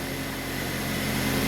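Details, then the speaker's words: Suzuki SX4, 2 L four-cylinder, 5-speed manual, about 251,000 miles, started on an old battery before a tune-up (oil, spark plugs, air filter): smooth, even idle with a steady hum and no misses, knocks or ticks; normal idle. "she sounds so good yeah she sounds pretty nice"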